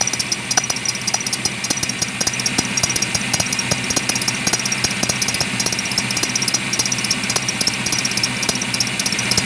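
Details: Engine idling: steady high belt chirp and regular ticking, about two a second, from a badly wobbling crank pulley; broken harmonic balancer, squeak worsening over a month, faded when warm; new balancer cured noise and wobble.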